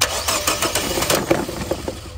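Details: 2018 Nissan Versa 1.6L four-cylinder, crank no-start after paint job: starter spins engine at even cranking beat, never fires; fuel sample from line found water-contaminated.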